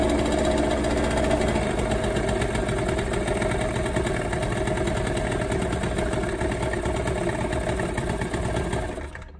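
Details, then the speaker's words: Warm scooter two-stroke, idle mixture screw turned in during carburettor basic setting: idle turns uneven and ragged, then the engine stalls as the lean mixture starves it; afterwards screw backed out 1.5 turns. "und jetzt nehmen wir die cdu schraube so lange bis der motor ausgeht jetzt läuft er schon schlechte"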